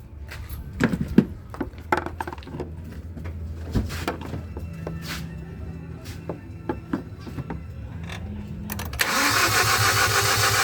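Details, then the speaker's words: 2018 Hyundai Accent gasoline engine, cranks but won't start: steady cranking (battery 12.5 V, fuses OK) that never catches; no fuel is reaching the common rail. "Op. Wala pa rin. Halatang walang gasolina na pumapasok dito sa kanyang common rail."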